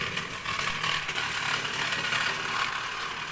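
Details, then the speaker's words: Model locomotive (Bonaccord) crossing track points at speed: a harsh, uneven scraping grind over the running hum. The owner thinks the tender derailed, and it got worse at the next point. "It went over these all right, but I think the tender derailed. You can hear it. And then when it came round to this other point, sort of made it even worse."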